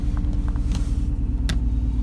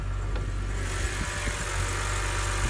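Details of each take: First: BMW 1/3 Series: deep, lumpy idle with an uneven pulse that stumbles every few beats, also stutters on the gas; misfiring cylinder from a broken ignition coil, fixed by fitting a new coil. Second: BMW 1/3 Series after a coil was swapped into the misfiring cylinder and the check-engine light cleared: steady, even low idle with no stumble or miss. Normal smooth idle after the fix.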